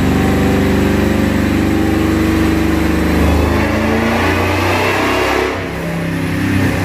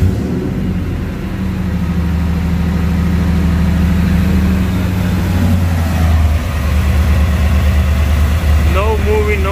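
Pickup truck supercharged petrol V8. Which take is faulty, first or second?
first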